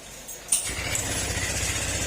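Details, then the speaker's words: Honda Click 150 scooter run low on oil, before overhaul: fires up to a loud idle with a harsh metallic clatter; mechanic says it is a crankshaft and connecting rod problem and the block may also be damaged. "Ang ingay ng tunog ng makina ng click. Matik po yan mga sir na may problema yan sa sigunyal, connecting rod."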